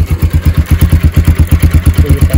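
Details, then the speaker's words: Pulsar 200 (AS200/NS200/RS200), started after sitting overnight during a water-flow test. Heavy, even exhaust thump at about seven pulses per second, steady with no clatter or stumble. Engine idling fine. "तो अभी अपन गाड़ी को start करते हैं ठीक है य हो गई अपनी बाइक स्टार्ट ठीक है"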